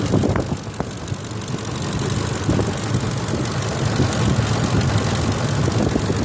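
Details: 2004 Ford F-150 5.4L V8 at idle: low rumble with a light, uneven ticking on top, cause unknown; VCT solenoids already replaced, which cured a dieseling sound.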